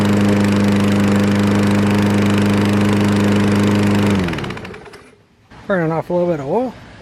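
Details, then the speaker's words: Fairly new Craftsman 7.0 mower, formerly a no-start with air filter missing, running after repair while burning off leftover oil: single-cylinder holds steady even drone about four seconds, then shuts down cleanly; healthy. "Yeah, she runs pretty good now, though. I'll finish running it, getting the rest of that oil burned off of there."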